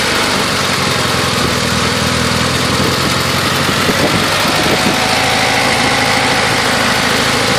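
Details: 1990 Talon engine at idle: busy uneven idle with loose knocking that comes and goes; owner suspects piston slap, source unclear.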